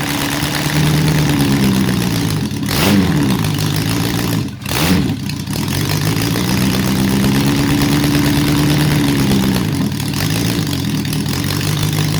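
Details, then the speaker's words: Honda CB750 four-cylinder restoration, first start on choke; idles and revs with a choppy, lumpy beat that stumbles on each blip; a bit rich with oil haze from oiled cylinders; misfire, one cylinder out. "Bit choppy, but we've got a running engine, so that's overall pretty good."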